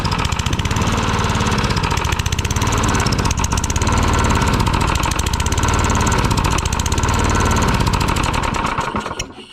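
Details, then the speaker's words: Tecumseh lawn mower engine rebuilt with a known bad connecting rod and worn crank: fast, uneven metallic knock while running, then winding down and stalling with fuel off; loose connecting rod knock. "I think that knocking is that connecting rod. Yeah, you hear that talking? That ain't going to last long. That connection rod too loose."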